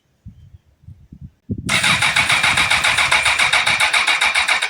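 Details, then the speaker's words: Comparison bike, kill switch off: light clicks, then starter spins the engine with an even chuff about four a second, showing healthy compression; normal cranking. "You can hear the motor turning on this one."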